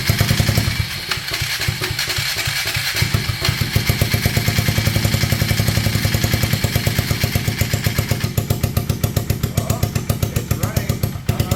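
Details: 1999 Polaris Sportsman 335, first start on starting fluid after replacing a stuck valve's broken valve guide and all gaskets: single cylinder catches and keeps firing on its own, rapid even pulses with a few blips; running fine after the repair.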